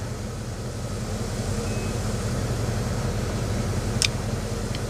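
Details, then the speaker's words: Rolls-Royce Silver Spirit III on lift, rear flexi brake pipes replaced, bleeding LHM: engine idling steadily, then short high beep and fainter second one, low hydraulic fluid warning as reservoir float drops. "Just heard the beep. Did you hear that beep there in the car? That was saying low fluid. That's when the the float drops."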